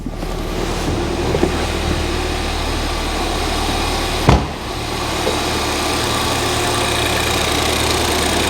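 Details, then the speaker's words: Ford Fiesta ST, just started after fitting a replacement ECU to cure a previous misfire: petrol engine idling evenly with a steady low hum and one brief bump midway; no misfire, idle healthy. "i cannot believe it it's not misfiring it's running right"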